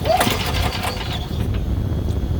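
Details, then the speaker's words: Golf cart or turf machine that only clicks: pulling a starter wire forward restores contact through a hidden break above the terminal, and the small engine catches into a steady low rumble; the wire must be cut and re-terminated. "But if you pull this forward, see it's clicking. If I pull this forward, watch. It takes off."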